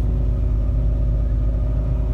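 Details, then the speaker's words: Budget squad car, carbureted, first start in over a decade after fresh oil and fluids: low steady rumble with an even beat, no knocks, ticks or misses; idling smoothly and quietly, normal idle. "I'm gonna see if ideas to idle here it's actually pretty quiet"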